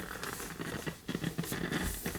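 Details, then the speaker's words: 1951 Northern Electric Baby Champ tube radio, tubes lit on a current-limited variac supply: only irregular crackle and scratch from the speaker, no station even at full volume. "Let's see if the actual radio itself is on. Turn the lights down here. Oh, it's crackling."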